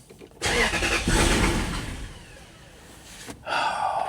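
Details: Lexus LS400 after clearing codes, with a mass air flow sensor code seen earlier: the engine catches with a rough burst, then fades and dies within about two seconds before being cranked again. It won't keep running.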